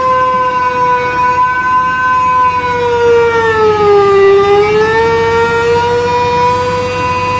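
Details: Mini hydrovac vacuum rig: 3.8 L V6 supercharger (likely M90 rotors) plumbed backwards, 15 hp Chinese motor at idle, thought to hit about 20; loud steady howl near 500 cycles dips as load rises, then recovers; normal howl under vacuum.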